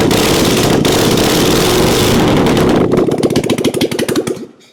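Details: 1997 Harley-Davidson Springer Softail after carburetor accelerator pump squirting again: loud throttle blip, then the V-twin settles into uneven loping beats a couple of seconds before shutdown; sounds healthy, carb fixed.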